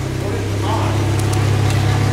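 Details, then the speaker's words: Jeep after rear axle repair to fix a rumble from the rear, started and run in high gear: steady, even low drone from the spinning rear end, no rumble or growl; now runs quiet. "Listen to this thing. Runs quiet. Okay, so I must have got something right, because it's not making any noise at all."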